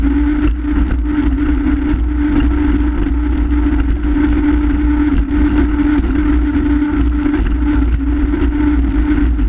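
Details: Honda F-12X AquaTrax turbo jet ski at full throttle, speed dropping from 60 to 28 MPH days after a new turbo: steady flat drone, no climb in pitch; power loss traced to a clogged fuel filter.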